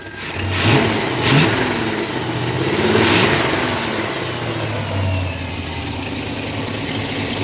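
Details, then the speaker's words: Pontiac Firebird with Pontiac 350 V8 blipping and settling with a raspy, puffing edge on each rev; exhaust leak up at the manifold. "That Pontiac 350 is [ __ ] running. Got a hell of an exhaust leak though up at the at the manifold."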